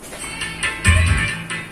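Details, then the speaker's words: Simple homemade M290 power amplifier driving a 12-inch speaker at low volume: music plays clear and even with no rasp or crackle, so the amplifier is working normally. "kita dengar suara kecil Apakah Ngoro atau tidak Kalau tidak ngorok Berarti suaranya normal"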